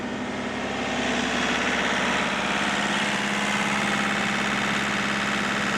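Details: Old excavator diesel after new-year servicing, engine held at high revs; steady even drone with no knocks or rattles, sounds good and happy, oil level up; right-hand track a little slow; normal high idle.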